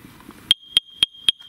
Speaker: If you have a first alert CO2 alarm and you start hearing beep, beep, beep, beep, there it is. And you're going, what do I do with this? Check to see if it says end, that's end of life.